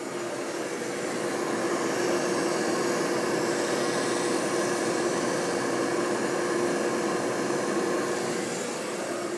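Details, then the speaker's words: Tristar pool pump motor of about half horsepower with no air in the system: a steady hum with a faint metallic roughness on top; early bearing noise, not too bad yet but not likely to improve. "but the pump motor does sound a little rough I can hear some bearing noise here I'll try to get that captured for you here"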